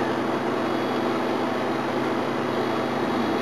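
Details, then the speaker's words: Holden GMH 308 V8 air conditioning on a warm day, after evaporator coil cleaning: a constant, airy hiss of gas rushing through the indoor coil; compressor shows barely any superheat and no subcooling; low on refrigerant. "I'd say it's low on gas. You can hear it actually going through the coil in here, it's hissing away."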